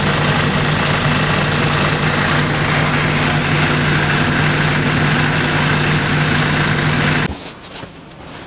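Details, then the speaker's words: Renault Trafic/Vivaro/Primastar F9Q 1.9 dCi, engine running in sixth gear with wheels spinning; steady droning whir with rough even beat about four per second, suspected worn front right driveshaft bearing rather than the gearbox, before driveshaft replacement: drivetrain noise. "what I'm going to do is I'm going to run the engine I'm going to uh put the vehicle in sixth gear so it spins faster and then I'm going to let you hear the noise that it makes so if you have similar noise and that would be uh very helpful in uh identifying the problem"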